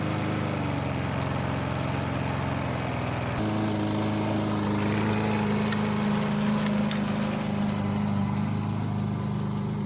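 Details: 1988 Briggs & Stratton push mower with auto choke, after a diaphragm repair, cutting without a bag: steady, even drone that deepens slightly under grass load, no misses or surging; runs properly.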